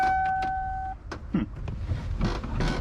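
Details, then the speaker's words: Mustang with LSA engine on its first drive: after a chime, the power door lock clicks and buzzes at irregular intervals, cycling by itself; stops when the lock is pushed down; cause unknown. "Oh. it's doing that weird thing again. I don't know why it does that with the lock. So weird. But when you push it down, it stops."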